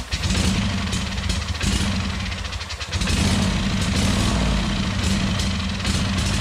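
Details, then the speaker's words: Used Wright Stander mower's twin-cylinder engine, running on starting fluid after compression tests of about 90-100 and 60-70, with a loud, steady even drone, no misses or knocks; engine sounds healthy. "I was trying to keep it running for a little bit anyways, just so I could listen to the motor and kind of get a good indication of its condition or whether it's, you know, running smooth or what the issue was. And to me, it sounded pretty damn good."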